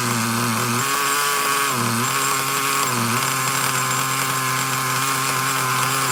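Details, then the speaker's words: Traxxas Nitro Slash nitro engine on the bench: a high-pitched buzz holding a fast idle with brief dips. The throttle linkage is slightly off and tugging the carburetor a little open. "Okay, looks like the linkage is a little off. It's going It's pulling on the carburetor just that little bit."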